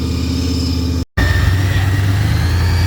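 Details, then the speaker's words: Third-gen Camaro IROC-Z28 with supercharged 383 stroker, after cam and lifter replacement (worn cam, metal in oil, wouldn't idle): deep, lumpy rumble holding a steady idle, closest to idle it has ever been. Normal idle. "is the closest to idle it has ever been. Good deal. Sounds great."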